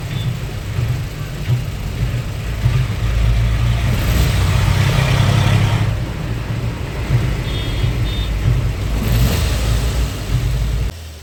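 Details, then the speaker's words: Maruti Suzuki Ertiga petrol with aftermarket CNG, at idle: rough, lumpy, chuffing beat, severe misfire running on only cylinders 3 and 4 while 1 and 2 are dead; unplugging their ignition coil changes nothing. "और आप देख सकते हैं engine में बहुत ज्यादा missing है मतलब दो सिलेंडर प चल रहा है तीन और च चौथे नंबर का एक और दो तो बिल्कुल बंद ही है"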